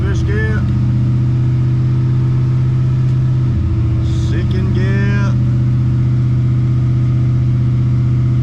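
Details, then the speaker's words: Oldsmobile TH350 automatic after replacing the worn plastic governor gear and filter; steady engine drone at constant speed with only a brief dip, no clunks or whine; transmission working again. "dude it's fixed are you as happy as I am some ripped all right after all of that I have a transmission again"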